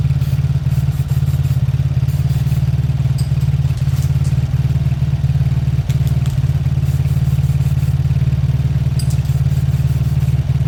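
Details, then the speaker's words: A beaten-up Lexmoto motorcycle idles with a steady, even low single-cylinder thump and no knocks or misses after its carb was removed and sprayed clean. It is left idling five minutes to circulate oil. Normal idle. "I'm going to let that idle for a good 5 minutes I want the oil to circulate I want everything to loosen up so far that sounds good"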